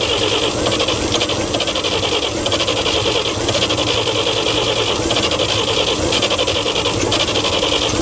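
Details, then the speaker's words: 1942 Chevrolet Blitz CMP 4WD truck, 216 petrol straight-six, sat for years: steady grinding crank with rhythmic whirr about once a second, turns over but never fires; owner thinks flooded, later wonders if not enough fuel. "Nice and flooded. I would just say she's flooded."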